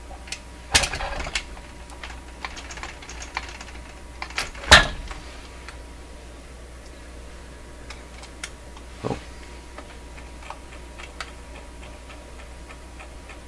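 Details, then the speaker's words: Clairtone console stereo record changer cycling to its stop position with no record: sparse, irregular light clicks and sharp clacks, sounding like metal rather than the rubber tire; intermediate wheel not engaged, source unknown. "that doesn't sound like a rubber tire that sounds like something with metal"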